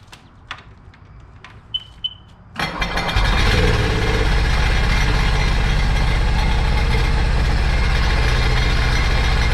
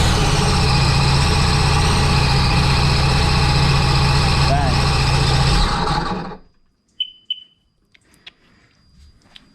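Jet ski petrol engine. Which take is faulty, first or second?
first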